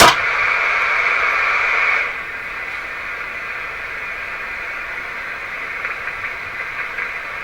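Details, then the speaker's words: Heathkit SB104A transceiver on high power with a 1,000 Hz tone input: lower sideband gives a loud, steady hiss with a tonal edge, much louder than upper sideband; an out-of-balance sideband filter needing alignment is suspected, not confirmed. "that's Lower Side Band this is what upper side band sounds like I turn it out it's hard to hear okay so that's upper has that lower lower tone hiss"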